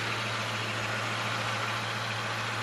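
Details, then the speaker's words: Camaro with manual clutch at idle: steady idle with constant low hum and faint whirring underneath; owner suspects the throwout bearing, noise changes when clutch is pushed in slightly; unconfirmed. "sounds to me like the throwout bearing [Music] might be making a little noise"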